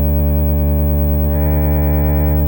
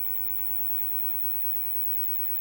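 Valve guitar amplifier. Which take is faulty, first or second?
second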